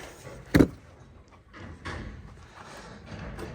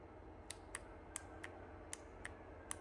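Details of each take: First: Hobart welder/generator, previously no-start, after the fuel filter was cleaned: a sharp click, then it catches and runs with an uneven patter, stops briefly and fires again; now starts and runs. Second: Hobart welder/generator no-start, fuel shutoff solenoid bench-powered: sharp dry clicks roughly every half second as the plunger pulls in and drops out; electromagnet works, plunger was sticking, to be cleaned.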